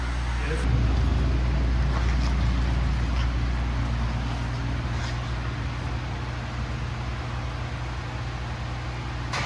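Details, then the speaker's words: Cadillac CTS-V V8 drift car after exhaust repair and realignment to exit out the back: deep, steady V8 burble at idle with even firing and no puffing or ticking, normal idle; cabin much quieter. "Sounds good. It sounds the same, just out the back."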